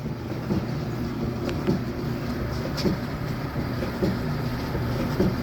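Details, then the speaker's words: Samsung gas dryer, drum rollers fitted with sealed 10x22x6mm bearings on M10 bolts, after repair, run on air fluff with no heat: low steady drum rumble with soft even tumbling about once a second, no squeal or scraping; sounds a lot better, normal drum rotation. "Alright, definitely sounds a lot better."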